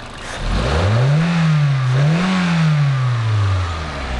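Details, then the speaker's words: Toyota Fielder petrol engine after injector cleaning and flow correction for misfire and lost power: revs up twice and settles smoothly with no misfire or stumble; runs much better on road test uphill. "agora a gente vai fazer um teste de Rodagem e ver como é que ficou de Rodagem aqui no carro que eu tô pegando uma subida Já vi que o carro ficou muito melhor"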